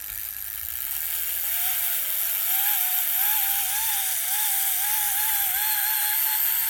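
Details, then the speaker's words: 2024 Makita DBO480 cordless sander, dropped and wouldn't start, run on a bench power supply, belt removed: thin motor whine wavering about four times a second instead of holding steady, weak running. "It's working, but not well. Just try that again without the little belt just in case that was the problem. Nah, something wrong."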